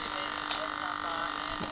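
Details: Tempest TEQ-3302 radio cassette on mains power: steady buzzy mains hum at a fixed tone, present even at low volume, caused by a faulty coupling capacitor, later fixed by fitting a new 33 µF capacitor.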